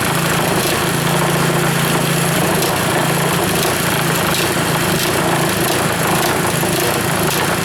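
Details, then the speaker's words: Reassembled Powerfist single-cylinder small engine idling with fuel shut off to run dry; steady even low drone, no misses or knocks, runs like new after rebuild; normal idle. "you can tear an engine apart like that put her back together and she fires up just like new is new was new and still is new"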